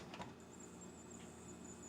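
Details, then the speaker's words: Axial SCX24 crawler after resetting the motor on its mount: faint steady high motor whir, the forward-only clicking from the driveshaft hitting the motor gone in forward and reverse. "it's nice and quiet doesn't do the ticking anymore in forward or reverse reverse was quiet forward sucked so that's awesome"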